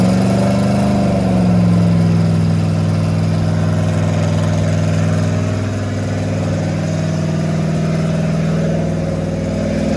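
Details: Rat rod small-block Chevy 350 V8 after a turbo cam install replacing the stock cam: steady, even idle with a mild lope, settling after a short throttle blip, no knocks; normal running.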